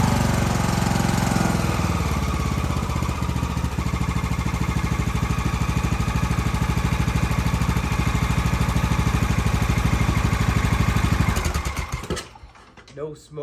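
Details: 2014 Snapper ST 1842 ride mower, used about 10 times and mostly sitting, on start-up after cleaning: single-cylinder engine settles into a steady, even thump at idle with no misses or knocks, then shuts down cleanly; healthy.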